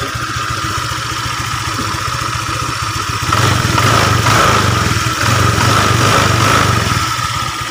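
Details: Honda Vario 125 after replacing the leaking water pump seal and bearing, coolant not yet fully topped up: steady, even idle with a brief light throttle blip, no knocks or rattles; normal idle.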